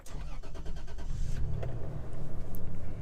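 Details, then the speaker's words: Used 2002 Toyota Tacoma with 175,000 miles, cold start: short crank, catches quickly, settles into a steady, quiet low idle with no knocks or ticks, still smooth after about five minutes; normal cold start. "right I don't know if you can hear that but it is running like a champ all right so it's been idling now for about five minutes or so it's still running very smooth it's super quiet"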